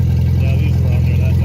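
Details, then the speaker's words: Volkswagen with Volkswagen CIS mechanical fuel injection, blown head gasket, old gas and milkshake oil, running after long cranking and two blown fuses found, first start in a year: loud, deep, rapid even throb at steady speed; engine running. "took a little convincing but now it's running so hopefully I don't kill it"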